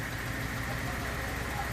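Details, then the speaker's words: 1980 Datsun 280ZX inline-six (manual), just revived after about 26 years of storage: a lumpy, uneven idle with an irregular stumble. One cylinder is not firing yet, with a stuck injector or fouled plug suspected; it is expected to clear. "So you got a cylinder that's not firing yet, but it'll come around here in a second."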